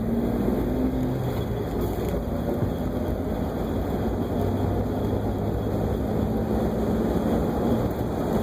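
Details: Jeep Wrangler TJ at cold start: steady low drone with a faint whirring tone on top, present on startup until the engine warms up; cause unknown.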